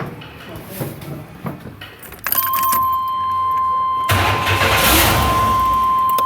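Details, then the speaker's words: 1995 Chevy Astro 4.3L distributor-ignition van with no-start, no fuel pressure despite new fuel pump, after reconnecting a connector that restored a dead ECM circuit: starter cranks, engine catches and idles steadily on its own, faint warning chime. "[Applause] starts that is idling on its own show you guys something else"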